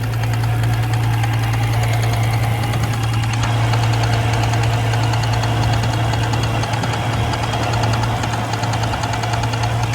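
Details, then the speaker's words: BMW M3 supercharged track car on a cross-country road trip in Arizona: deep, heavy knocking three or four times a second under loud steady engine drone; rod knock, engine blown, shut off. "Rod knock. I blew the engine. I gotta turn the engine off."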